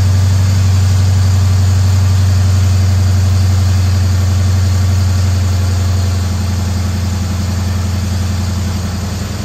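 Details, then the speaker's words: Dodge Charger flood project after AC compressor replacement, intake tube off: steady, even low idle with a smooth regular pulse, no knocking or grinding, compressor noise gone; slight air intake sound remains. "so much better. Still hear some sounds, but I mean, it's much, much better. The compressor isn't making noise now."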